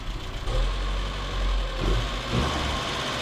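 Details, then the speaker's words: 1977 Datsun B210 just after a new fuel pump install: uneven, lumpy idle with irregular low thumps about once a second; no leaks, idle needs raising; owner suspects carburetor and choke tuning, cause unknown. "Running good. No leaks. It's a little rough. I don't know why."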